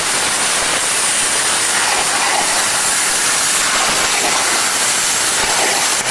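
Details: Hypertherm MaxPro200 on a CNC plasma water table cutting 12 mm plate at 200 A with oxygen/nitrogen gas; loud steady roaring hiss, even and unbroken for several seconds with no sputter or popping, normal plasma cutting.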